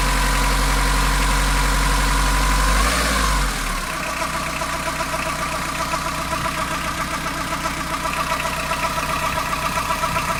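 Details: Fiat Ducato diesel van at warm idle, noticed after coolant change: steady quick tick about four times a second over the clatter, from the belt side of the engine, only when warmed up and only at idle; source unconfirmed.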